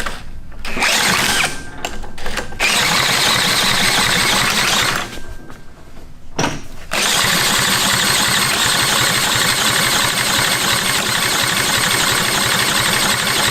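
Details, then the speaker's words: Retired military generator engine (4A032 four-cylinder or 2A016 two-cylinder type) stutters through a few tries, then catches and settles into a steady, even fast beat with no knocks or misses; runs healthy. "got try this way now good that's one running let's grab another"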